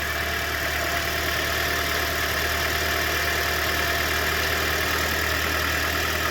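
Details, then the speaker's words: 2012 Scion xD idling after the serpentine belt, which had fallen off, was refitted: smooth, even idle with steady low hum, no belt screech or chirp; normal idle. "It sounds like a nice, quiet, happy Toyota."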